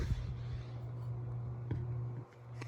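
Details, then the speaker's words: 36-inch Hampton Bay San Marino ceiling fan from January 2002, after dead capacitor repair, on medium speed: steady low motor hum under the fan running, no knocks or scraping; cause of hum unclear. "so there's medium you can hear it humming a bit"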